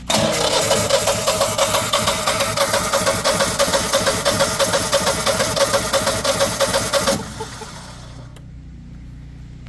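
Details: Generac home generator with new oil, oil filter, oil pressure sensor, air filter, battery and spark plug ran 24 hours then stopped, showing error code unable to crank; starter spins it in even pulses about seven seconds, never catches; cranks but won't start.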